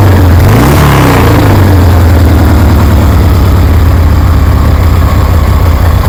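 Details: 1973 Harley Sportster with CV40 carburetor, idle being adjusted, low fuel: crisp rev drops back smoothly to a steady, lumpy twin-cylinder idle holding without stumbling; healthy running.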